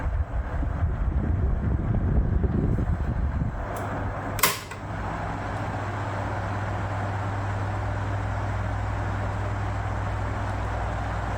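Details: 1973 National F-30AAD table fan after temporary lubrication of bearings and gearbox: handling noise, sharp switch click, then smooth even low motor hum with no grinding or rattle; fan running normally.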